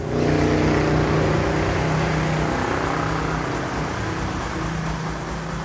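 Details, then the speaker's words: Yamaha YTX 125 single-cylinder motorcycle after cold start from 10 days parked, first light throttle blips after idling to circulate oil: even steady beat, no knocks or rattles, runs nicely. Healthy light revving. "Try natin accelerate ng konti. Ayun, no? Ganda pa ng andar."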